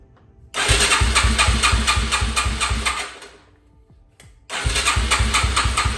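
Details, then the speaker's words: Non-running 2006 Yamaha TTR-230 with a dead battery, powered by a jump box: the starter turns the single over in even pulses, about three a second, with compression bumps, but it never fires; compression and spark are confirmed later, cause not confirmed. "like doesn't sound great but it does sound like it has some compression"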